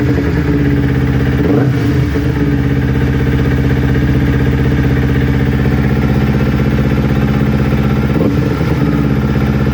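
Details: Newly built Kawasaki Ninja twin that bogged and stalled when warm, after ignition coil pack replacement: low, even thump about four beats a second, consistent past the usual warm-up problem temperature; both exhaust manifolds about 258 °C.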